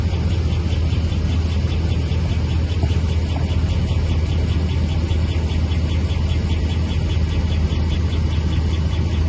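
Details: 5.7 HEMI engine at steady idle: light, roughly regular tick about a hundred per minute over low rumble; ticking of unknown source.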